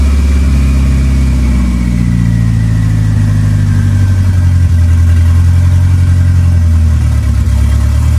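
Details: 2.3L turbo four Lima-swapped into Smokey on PIMPX batch-fire engine management, just started and warming up for base timing check; steady idle, revs up and settles back, even firing, no knocks or misses; normal running.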